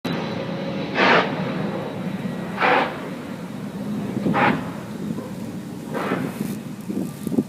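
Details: Jet taking off from Lindbergh Field, heard from a nearby deck: a whooshing surge comes and goes about every 1.5 seconds over a steady roar; pulsing takeoff noise, no visible problems, cause unclear.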